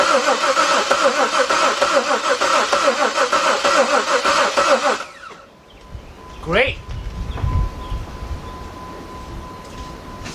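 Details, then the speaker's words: 2003 Jeep Liberty Sport 3.7 V6 after a partial engine rebuild, fuel pump fuse pulled to crank and circulate oil before first start; steady, even chug of about three turns a second with no firing; normal cranking without fuel. "what I want to do here is disconnect the fuel pump we got to crank this engine over and get that oil throughout that engine"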